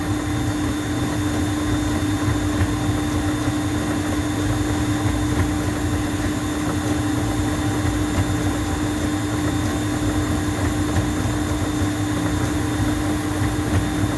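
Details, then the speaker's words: Juma 110 escalator cleaning machine running on the steps with cleaning water solution: steady even hum with a fixed mid tone over a low rumble and felt vibration, no knocks or surges; its normal running sound. "You hear the sound of the machine, right? You hear it? That's how the machine sounds all the time."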